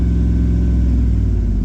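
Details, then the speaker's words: Dodge Ram 1500 HEMI V8 at idle after replacing cylinder 8 ignition coil and spark plug for a P0308 misfire code: steady, deep, smooth rumble with no stumble or skip; misfire appears fixed, runs clean. "It really does. It sounds a heck of a lot better. It sounds wonderful, actually."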